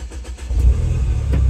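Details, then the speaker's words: Mini Cooper Clubman S turbo from a minor-damage auction, after a full service, engine start: catches and settles into a deep, loud burble from an aftermarket exhaust, no knocks heard. "Ó. Ele tá com escape, tá vendo? Ele tá com escape, esse carro aqui."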